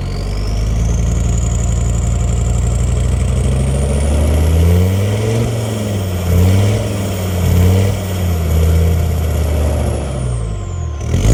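Warm five-cylinder diesel rising through the mid revs with an uneven, lumpy beat and wavering pitch, a misfire whose cause isn't pinned down. Cause suspected, not confirmed.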